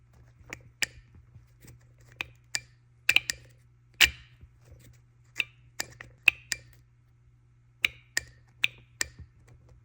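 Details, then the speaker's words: BMW N54 single-turbo 335i with VANOS and camshaft faults: removed worn VANOS actuator gives sharp irregular metallic clacks like metal hitting, versus the quiet sound of the good units. "here's the other one very similar you can kind of hear it pinging and here are the good ones sounds like a plunger like a suction plunger these sound like some like metal hitting"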